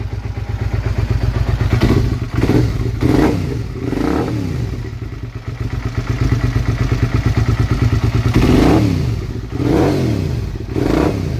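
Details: Motorcycle, 2003 model, after bridging the faulty clutch-handle kill switch with speaker wire and new ignition switch and starter relay: twin rumbles at a steady idle, picks up cleanly through quick blips and settles; runs healthy with no misfire.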